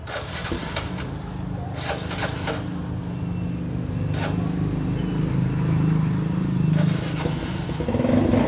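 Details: Used Yamaha Sirius small single with a slightly weak battery. It putters along at an even idle with a few light clicks, picking up slightly: the engine runs healthy.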